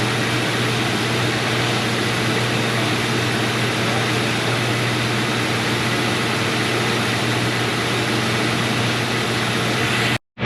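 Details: 2003 Mercury Grand Marquis 4.6L V8 at idle, first start after replacing all spark plugs, the cylinder 2 ignition coil and coil boots; steady idle with constant airy hiss possibly from the plastic intake manifold rather than a vacuum leak; runs smoothly.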